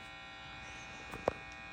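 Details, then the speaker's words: Vintage Gibson BR-9 tube amp with both input tips grounded (non-switching jacks) and volume at max, feeding straight to the power tubes. A quiet, steady low buzz with faint clicks persists even with the inputs grounded. "Then, but even with the tips grounded, you're still getting some of that noise."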